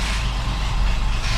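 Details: Ford F-150 300 straight six after no-spark no-start, spark restored: low uneven stumbling rumble that barely runs; probably badly flooded from repeated cranking with no spark; rough running from flooding.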